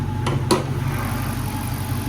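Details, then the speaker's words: Wrecked Dodge Charger R/T Hemi bought at Copart, with a new water pump, cold air intake and replaced transmission, idling with the hood open: a deep, steady V8 idle with an even low rumble and no knock or miss, only light handling clicks. Healthy. "this motor sound healthy man got a brand new water pump down there as you can see I mean man this thing sounds so healthy"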